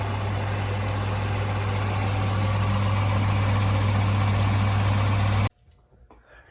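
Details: 1985 Volvo 245 with a stock B230F and LH2.2 injection: steady low idle with a slightly uneven lumpy pulse of about four beats per second. Cylinders 1 and 2 run cool. Misfire due to clogged injectors and a leaking fuel pressure regulator with fuel in its vacuum line.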